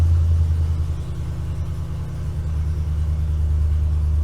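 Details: 2012 Ford F-250 6.2L gas V8, 274,767 miles, cold high idle in a closed shop: a steady, smooth, deep rumble with no knocking or ticking. The gauge falsely reads zero oil pressure at idle, and the sending unit is suspected.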